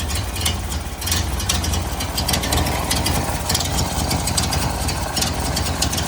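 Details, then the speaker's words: 1929 Ford Model A four-cylinder running poorly since its carburetor rebuild, after tightening an air-leaking carb gasket and adjusting the needle valve, possibly now too lean. Slightly hunting, uneven idle with hiss: uneven idle likely from mixture setting, unconfirmed. "Okay, I adjusted that too. Too lean, I think. So, we've got adjustment on the needle valve now."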